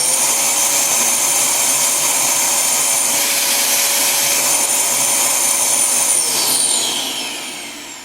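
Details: Dyson DC07 Origin vacuum that overheats and dies after about 10 minutes: a steady high motor whine, freer with the cyclone removed, then winding down. Sounds blocked up rather than a motor fault; the filter is found clogged, restricting airflow.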